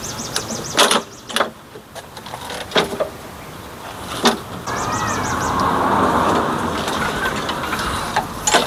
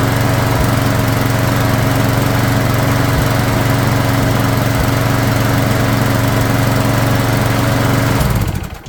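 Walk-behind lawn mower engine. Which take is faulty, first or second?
first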